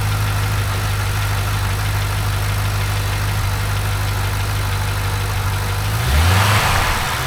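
Fast, light ticking rides over a steady V8 idle and quickens with a brief blip of throttle; cause of the tick not pinned down. Cause suspected, not confirmed.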